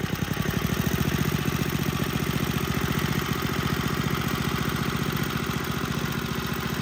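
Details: Tecumseh HSSK50 engine from a stripped Troy-Bilt snowblower, which had no compression and missing head bolts, after a new head gasket and bolts: a rapid, even firing beat held steady with no misses or knocks. It runs very well.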